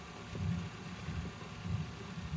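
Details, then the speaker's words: 1990 Porsche 911 CR-1 stereo cassette deck, dirty and unserviced, playing a demagnetizing cleaning tape: a low soft rumble swelling and fading about every second from the tape's magnetic wheel; the deck runs normally. "That sound you hear is the magnetic wheel rolling around there. So this deck is in good running condition, so I think we can save it pretty easily."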